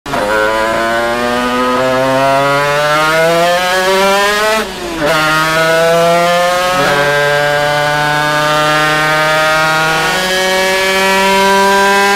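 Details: Zündapp KS50 two-stroke on a dyno: screaming revs climbing to about 13,000 rpm, a sudden choke and drop at about five seconds, then it catches again. Piston seizure.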